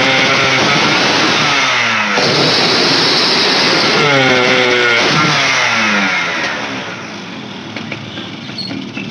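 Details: Yamaha motorcycle whose throttle won't reach full: engine revs up, then falters and sags back instead of climbing as throttle opens; weak ignition suspected at the top end.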